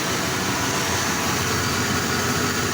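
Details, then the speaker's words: 1995 GMC 1500 pickup, sat four to five years, new battery, idling after first start: smooth even idle with steady hiss, no ticks, knocks or misses; engine sounds healthy. Brake leak still to be found. "ears she sounds good four to five years somewhere in there she's set"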